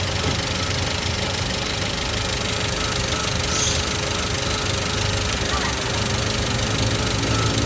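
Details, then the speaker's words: 2005 Toyota Avanza 1300cc non-VVTi engine idling: steady idle with light irregular tick-tick snapping; ignition coils leaking spark to ground, commonly coils 2 and 3. "Oke ini posisinya ya tuh apinya tuh jadi adanya di koil ini ada bocor yang sering koil nomor 3 sama nomor 2"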